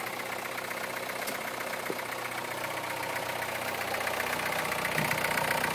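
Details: 2009 MINI Cooper S, about 25k miles, cold start at about 35°F: quick metallic rattle, roughly four per second, over direct injector ticking; slack timing chain from failed tensioner, later fixed by replacing tensioner, chain and guide rails.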